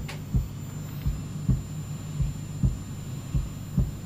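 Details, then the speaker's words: 1989 Yamaha PSS780 keyboard, repaired, gain raised on its input with Stereo Chorus on: soft low heartbeat-like thumps about every two-thirds of a second over a steady hum, stopping when chorus is off; a grounding oddity is also noted. "if I bring the gain up just here on its input it's got a heartbeat it's like Pink Floyd trapped in a keyboard if I turn stereo chorus off it stops"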